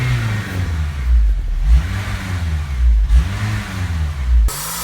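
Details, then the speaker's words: Honda Civic Type R EP3 idling after a year parked: revs surge and sag about every second and a half. The idle control valve is stuck and is cleaned with the throttle body removed. "so we've done a bit of research in a forum and it comes to show that it's the idle control valve with it which is this bit right here"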